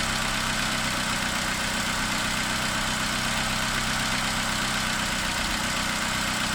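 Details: 2009 Opel Corsa D 1.2 Z12XEP at cold idle after start: light, fairly even tick about four times a second over the engine hum, worse when cold and seemingly gone after a drive; owner suspects noisy tappets, unconfirmed.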